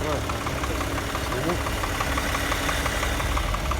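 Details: 2008 Subaru Tribeca at idle with a faint, loose, uneven knock about three per second riding on top; knock source not yet pinned down: engine knock.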